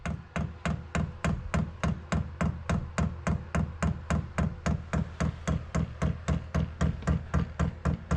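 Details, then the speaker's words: Newly installed Chinese diesel heater on 12-volt wiring, fuel pump priming: steady ticking at nearly four per second with a soft low thump behind each, quieter than expected. Normal priming. "See, it went to on. Thought it'd be a lot louder than that. Everyone says that that pump is really loud. That looks to be priming."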